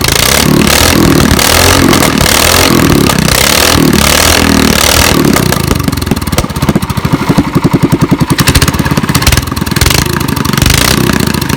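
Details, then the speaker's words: Warmed-up small single-cylinder engine in a mini cup car (NASKART), throttle hammered to try for flames: hard repeated blips, revs soaring freely with crackling pops. The governor is suspected removed, with a breather where the governor arm would be, so high free revving. "So that sounded sick. I'm pretty sure that the governor is removed on this thing because it looks like it has like a breather going in where the governor arm would be."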